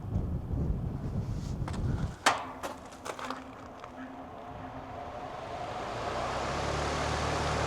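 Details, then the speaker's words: 3-ton AC condenser unit on an off-grid solar system, after installing a Micro-Air EasyStart Flex soft starter: a few clicks, then the condenser hum swells gently over seconds with no hard thump. Smooth, quiet soft start, unlike the usual loud start. "Normally we hear that that loud sound when the compressor turns on. We did not hear that at all last night. It was much quieter."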